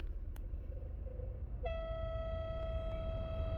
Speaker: i have a weird sound coming from my van so i know what it is if i turn the air conditioning on let's take a listen